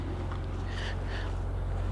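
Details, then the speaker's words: 2007 Saab 9-3 Aero turbo V6 with timing chain, convertible, bought as a salvage car: a low, smooth, even idle hum with no ticks, knocks or stumbles. It sounds like it is running perfectly. "it sounds like it's running perfect"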